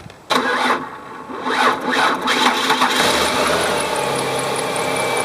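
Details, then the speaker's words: Car with suspected bad battery, jump-started with a battery jumper: starter still lags slowly and unevenly a couple of seconds before engine catches; slow cranking from weak battery, no battery light while running. "Now, because the car started up when I used the battery jumper, you could hear it actually still lagged, but then finally there was enough juice in that jumper to get it started."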